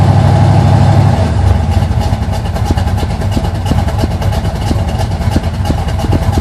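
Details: 1980 Sierra C15, junkyard L31 Vortec 350 (130k-mile pistons/rods, 9.5:1), Summit K1107 .488/.510 lift cam, Performer RPM intake, 600 Holley, Flowtech headers, Thrush turbo mufflers; cold idle: loud, uneven, choppy lope about three pulses a second from the cam; mic clipping.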